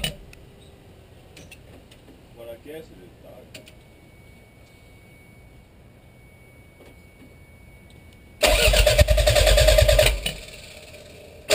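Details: Toyota MR2 turbo: after some quiet clicking, the starter spins the engine steadily for about three seconds but it never catches; cranks, no start.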